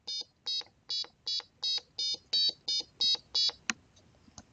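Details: Microcontroller buzzer circuit driven by four buttons on an analog pin, after widening the code's value range: ten short, bright, even beeps at a clean steady pitch; normal buzzer tone.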